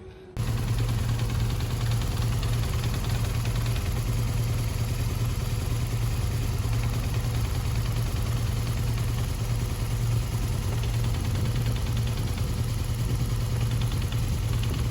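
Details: BMW R1200GS air-cooled boxer engine at idle: steady low boxer idle with a light metallic rattle riding on top. Cause of the rattle is not identified.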